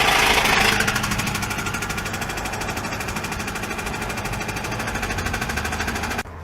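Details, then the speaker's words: Customer complaint of a loud noise from the engine: sharp, steady metallic knock about three per second over the running engine; internal knock, cause not yet pinned down; engine knocking. "all right customer states that there's a loud noise coming from the engine"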